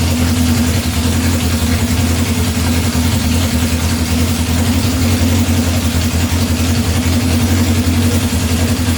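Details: 1978 Honda CB750 K8 four-cylinder, first start after troubleshooting, on battery booster with temporary fuel supply and exhaust refitted: steady, even idle with smooth low burble and no misfire stumble, running normally.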